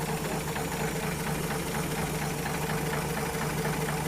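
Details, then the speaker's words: 1950 Chevy truck stovebolt six warming up after new gaskets, plugs and valve adjustment, rockers oiling: light, even ticking of about one tick a second over a steady low idle. Normal valve train noise at idle. "I think what we're going to do, let it sit here and get warm. I can hear the valve train working,"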